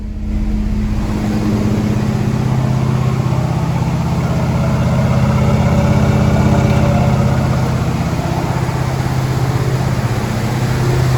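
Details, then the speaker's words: Mustang Mach 1, after the distributor's vacuum advance was repaired and a too-long screw that shorted and killed it when warm was replaced: even, steady low rumble with no misses at idle; runs much better than before. "sounds good sounds really good all right we're gonna try it out now with the vacuum advance it wasn't working before it already sounds way better night and day different"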